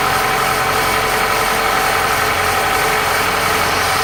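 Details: 2001 Toyota Corolla 1.8L 1ZZ-FE at steady smooth idle right after new timing chain tensioner install, with no chain slap or rattle; the new tensioner reduced about 90% of the chain noise.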